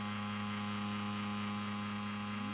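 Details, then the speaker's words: Game console playing Final Fantasy for under an hour, getting much worse and running super hot: a loud, steady fan whir with a strong constant hum and hiss and no speed change; cause unknown. "Here's the noise. It's getting much worse. And the system is super hot."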